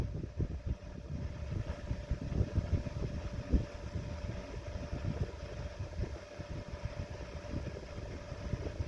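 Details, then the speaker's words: Restored 1920s GE 8-inch stationary desk fan, single speed, worn bearing held in place by a screw so the rotor won't touch the stator. Quiet, steady mid-pitched whine over a soft rumble, the typical GE whine. Normal running. "We'll start it up here, single speed. It's fairly quiet."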